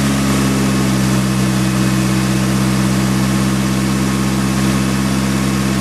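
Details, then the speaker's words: Nissan S15 SR20DET after engine flush and oil and filter change: smooth steady low idle, even pulse, no ticks, knocks or stumbles; sounds healthier, normal idle. "all right so that sound healthier let it idle for a while"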